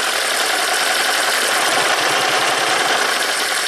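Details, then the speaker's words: 2010 Toyota Prius after owner's DIY head gasket job, P0304 stored: uneven stumbling idle with irregular chuffing beat; cylinder 2 coil not sparking and cylinder 3 not contributing, suspected misfires on 2 and 3, cylinder 4 okay. "Okay, so I think 2 and 3 are misfiring, 4 is okay."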